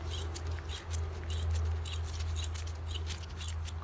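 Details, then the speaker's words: Removed hub bearing from a 2004 Nissan 350Z, spun by hand, gives gritty, scratchy rasping in uneven bursts; confirms a worn wheel hub bearing. "you can hear that this bearing is making noise"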